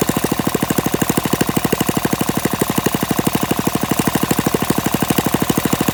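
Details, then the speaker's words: Warm Briggs & Stratton flathead mini-bike engine with PZ19 carburetor, on a stand with no load and no muffler: loud, sharp, even popping at roughly three beats a second, steady and unmuffled; runs fine. "this has worked it seems to work just fine with the pz19 carburetor"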